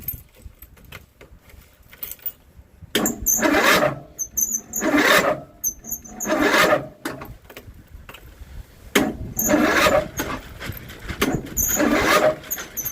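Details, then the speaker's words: John Deere 102 riding mower, cold start at about 8°F after the battery was charged about 20 minutes: the starter grinds in about six short bursts with rests between and the engine never catches. Owner suspects the cold. "For some reason, it's not want to start. It's probably cuz it's so dang cold. But cuz it's like 8° out, so I understand."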